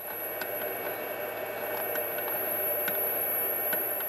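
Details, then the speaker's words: Atomstack M4 fiber laser engraver during focus height adjustment: steady airy hiss with a thin high whistle as the laser ablates the workpiece, loudest at correct focus; normal laser ablation hiss. "you can hear the hissing of the laser ablating material off the work piece and you just have to turn the knob up and down until you find the point where it's the loudest"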